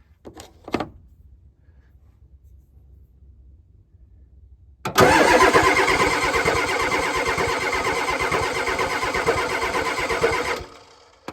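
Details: 1990 Ford F-250 7.3 IDI diesel, sitting three years, cold February morning with torpedo heater; starter turns engine at steady rhythmic chug for about six seconds with no catch or firing; crank no start.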